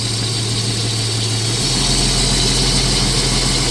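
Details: 1989 Jeep Cherokee XJ Renix with intermittent fuel pump cutout, idling with a pressure gauge on the service port: smooth, even idle with a low hum dipping slightly in pitch then holding steady; fuel pressure 39 with regulator vacuum removed, pump normal.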